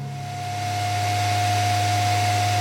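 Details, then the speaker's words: Lambda Omega MML 400 switch-mode DC power supply, working again during repair while a thermal fault is suspected: even fan whoosh with steady mid-pitched tone and low hum, no rattle or surging; stable DC output. "so check it out the power supply is now functioning so you can hear the fan is running and look at that DC voltage coming out of that module and it looks like a veryy stable reading as well"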